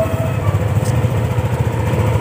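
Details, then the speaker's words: Yamaha NMAX after reinstalling all CVT components: even, low idle putter with steady pulses and no belt-drive rattle. On revving there was slight noise, traced to an unfitted hose hitting the wheel rim; normal idle. "cenderung sudah bersih suaranya ya cuman saat digas tadi ada suara berisik sedikit"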